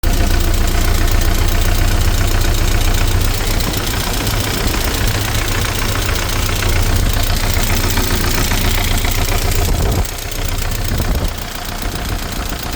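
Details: ZMZ 409 engine at idle: fast, fairly regular tapping about 220 per minute with a rougher knock underneath, suspected hydraulic lifter (lash compensator) and timing chain noise; cause unconfirmed.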